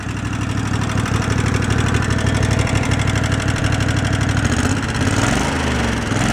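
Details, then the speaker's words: Two-cylinder engine, previously running on one cylinder, idle speed turned down and mixture tweaked: over a lumpy low idle, a fast, even clacking at every firing. Valve clatter on one cylinder. "so with idle I turned that down got that tweaked in seems pretty good but you hear the vows clapping away on that side"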